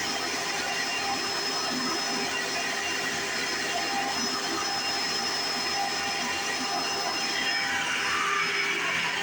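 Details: 1995 Hoover Encore Supreme U4261-930 upright vacuum, barely used; steady high-pitched motor whine over loud even brush-roll whirr, one part noted as loud at switch-on but not a problem; no surging or rattles, normal running.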